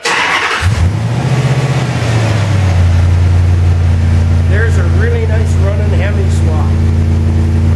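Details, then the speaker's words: Pickup truck with Hemi swap, first start after rewiring, ignition switch bypassed for the start sequence and throttle still not working: V8 cranks, catches, revs, then settles into a steady, even idle; clean healthy start. "I'll just turn the key on and fire it up just to prove it"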